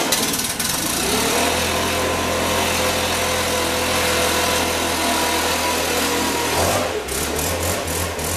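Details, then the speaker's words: Stihl BR600 two-stroke backpack blower after primer bulb replacement, new spark plug and air filter, and cleaned spark arrestor: steady, even drone with a clean rising whine and no surging or misfire. It runs smooth and healthy. "BR 600 primer bulb replacement spark plug air filter cleaned off the spark arrestor sounds like it's running pretty smooth"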